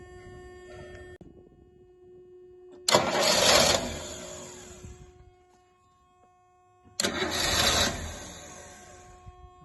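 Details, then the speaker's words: Rolls-Royce Silver Shadow on a freezing cold day, after fuel pump rebuild, fresh fuel and cleaned float bowl: two short cranking bursts, turns over but never catches; has spark; owner suspects cold start or choke problem, unconfirmed. "I'm afraid it still doesn't appear to be any different just won't uh won't catch"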